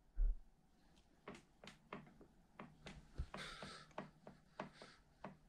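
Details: Lapierre Zesty XM927 carbon full-suspension MTB frame lifted by hand: sharp irregular dry knocks, wheel moving with the rear triangle, from play in worn suspension pivot bearings needing replacement.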